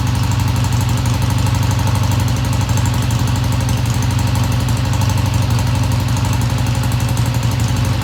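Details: 1971 Triumph T120 twin, first cold start after cleaning pilot jets: steady, even low thrum at idle with no knocks, ticks or misses; idle fast at first then kicked down, sounds healthy, no tach fitted.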